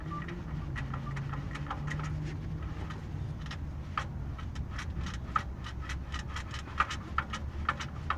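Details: Honda Fit at idle: light, uneven clacking ticks over a steady idle from a knocking air-conditioning compressor clutch. AC compressor clutch knock.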